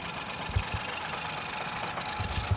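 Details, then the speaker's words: Ford Focus 1.0 EcoBoost with P2111/P2135 codes, throttle stuck open; after a light throttle blip, uneven lumpy idle with heavy low thumps and misfire; rough running from faulty electronic throttle actuator. "we throw a latch here that sounds deadly didn't it"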